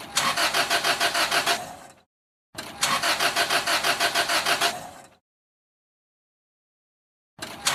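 Starter spins the engine in steady bursts of about three turns per second, stops, tries again, and it never catches: cranks, won't start.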